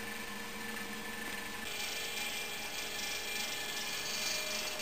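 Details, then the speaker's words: Prewar GE Monitor Top refrigerator, CA model, compressor loaded by hot water in the evaporator: steady hum with a loose rattle growing more pronounced; non-condensable gas buildup suspected; cause unconfirmed. "now you can hear that the rattle is starting to become a bit more pronounced"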